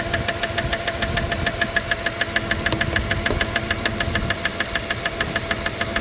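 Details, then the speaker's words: 1997 Dodge Caravan LE idling after a rod and main bearing replacement; sharp, even metallic ticking about three times a second from the top end. Owner suspects something stuck in a pushrod not getting oil, meaning a sticking lifter. "might be something something that's stuck in the push rod and it's not pumping oil to it"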